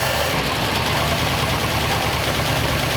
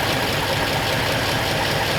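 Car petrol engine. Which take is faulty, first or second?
first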